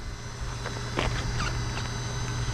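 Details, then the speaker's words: LOSI Lasernut U4 1/10 4WD brushless rock racer after its first post-refurb run; drivetrain turned slowly by hand gives sharp irregular clicks from the rear differential, front diff fine and original ring gear ruled out, rear differential damaged. "There we go, guys. It is the rear diff. Oh yeah, that feels terrible."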